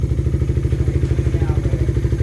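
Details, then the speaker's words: Single-cylinder motorcycle with about 110 on the odometer, idling. Steady, even thump with a slightly loud, raspy exhaust from a tampered pipe and no engine knock. Normal idle with loud exhaust. "Medyo maingay yung tambutso pero sa engine all good na."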